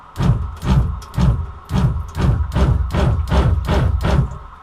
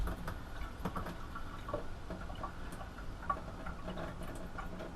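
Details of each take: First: Shurflo water pump in a bus conversion, plumbed straight from tank to sink with no accumulator, run at full tap flow: low thudding pulses about twice a second as the pump kicks on and off, short cycling; Pentair Shurflo bladder accumulator tank to be fitted. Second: Shurflo water pump in a bus conversion, after adding a Pentair Shurflo accumulator tank and with the tap only partly opened: short whirring bursts about a second long roughly every five seconds; short cycling reduced.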